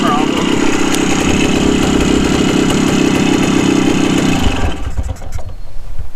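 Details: 1974 Honda MT250 Elsinore two-stroke after a full restoration, steady even idle, then cut dead by disconnecting the spark plug since there was no other way to shut it off. Running cleanly; normal.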